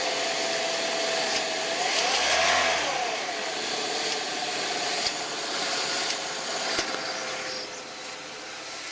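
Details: 2007 Saab 9-3 1.8T, cold engine: a loose, uneven metallic rattle over the idle that goes away after about five minutes when warm. It was a balance chain rattle, cured by replacing the balance chain tensioner and the broken guide.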